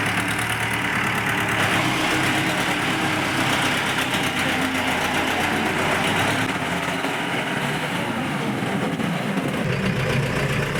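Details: Jeep diesel engine during gearbox, engine and diesel-pump repair work (humming noise and radiator hose collapse addressed): steady, even idle with a smooth low hum, no knock or drone standing out; the engine sounds healthy.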